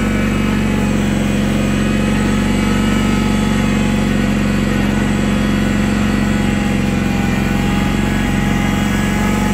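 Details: 1983 IH Cub Cadet 782 garden tractor running after start-up: steady, even drone holding constant pitch with no knocks or misses; engine runs smoothly, normal.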